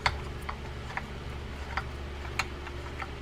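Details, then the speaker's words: Penn 9500SS saltwater spinning reel cranked after a service: a quiet wind with light, fairly regular ticks about twice a second. The spool is bottoming out because the washer at its bottom is missing. "Well, we know we're going to have a nice quiet reel to begin with. But we got a spool that's bottoming out here. That's an interesting one."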